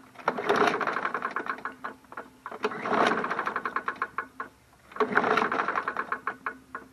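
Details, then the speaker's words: Curb-found MTD Yard Machines 21-inch push mower, primed, dirty oil, recoil start attempts: three pulls about two seconds apart, clattery internal rattle as it turns over, never catches; seems to have compression, owner thinks it may be shot, cause unclear. "I think it's shot guys I hear something rattling there but it sounds like it had compression though that's weird huh this one might be a goner too"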